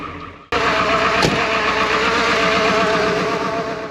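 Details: 1995 Ford 7.3 Powerstroke 5-speed dump truck, sat a month, cold start at 11°F: fires first try and settles into a steady, even diesel clatter with no misses; normal cold idle.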